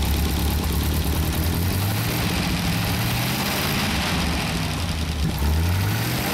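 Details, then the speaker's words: 1931 Horch 480 Sport Cabriolet, freshly rebuilt 5 L straight-8, warmed up about 5 minutes and still running in: low, smooth, steady idle with even beat, no ticking, misfire or vibration; normal idle. "now we've warmed it up for about 5 minutes and now it's idling just absolutely gorgeously all right when I um shut these things down it is idling absolutely beautiful"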